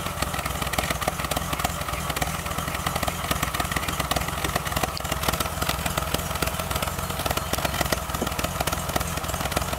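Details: BMW M20 petrol inline-six idling unevenly with a lumpy, stumbling beat; rough idle caused by a vacuum leak from a missing valve cover stud.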